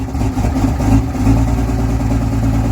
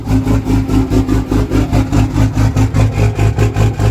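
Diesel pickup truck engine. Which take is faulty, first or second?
second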